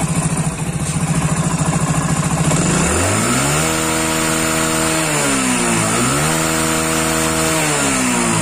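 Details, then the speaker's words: Hero Splendor Plus single-cylinder, revved off load: climbs cleanly from idle to high revs and back twice with no stumble; the bike runs fine on light throttle but won't go above 30 km/h under load. "You can see when he Accelerator a little bit Then this bike is running fine But not going above 30 km speed"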